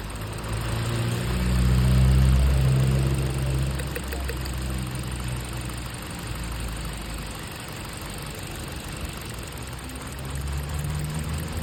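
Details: 2015 Hyundai Elantra petrol engine at idle with number 3 cylinder not working: rough, uneven beat with a regular stumble about four times a second from the misfire.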